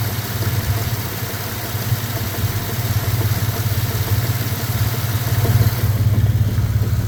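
At idle a dull knock repeats about twice a second over the low engine rumble; the knock is clear but its source is unknown.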